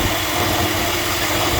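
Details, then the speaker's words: Chevy 5.3 V8 (2002-2014 Tahoe/Suburban/Avalanche family) after replacing the drive belt tensioner assembly because of squealing and scratching from the pulleys and serpentine belt. Steady, even idle with a smooth low rumble and no belt squeal. Finding: normal idle. "let's go in here and start this bad boy and see what she sounds like that little he might be gone"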